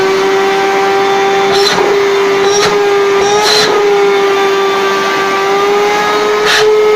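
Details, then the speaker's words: Rowenta 1700 W vacuum cleaner, brought in for loud humming, now running with a strong steady motor whine and air rushes as the nozzle moves; suction good, new filter still awaited. "Сами видите, тянет хорошо. Вот приедет фильтр, и тогда уже с клиентом проверим."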